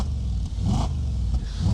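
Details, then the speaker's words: Audi S5 V8, recently bought used: deep, smooth burble swelling cleanly with each throttle blip, no knocks or rattles; healthy V8 exhaust note. "That's really cool, actually. He looks quite happy. That looks and sounds wicked."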